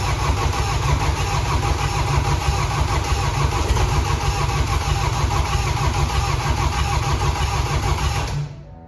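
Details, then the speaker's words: Flooded BMW F20 diesel running after an engine rebuild (crushed connecting rod, no compression), with the intercooler still holding water and disconnected and the DPF not attached: steady, even low clatter with no knocks or misses until shutdown, running normally. "one cor Road was crushed no compression the whole engine was a mess and now it's it's running"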